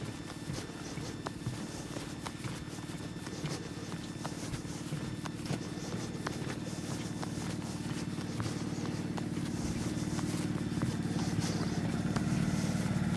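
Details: Suzuki 2.5 outboard idling after an ultrasonic carb clean: a steady, even low putter at about four beats a second that holds smoothly while maneuvering between jetties. Normal idle.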